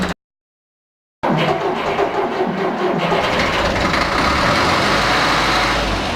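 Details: Deutz F4L514 diesel after cylinder and cylinder-head repair: after a brief silence it fires and settles into a steady, even clatter with no knocks or misses; normal running.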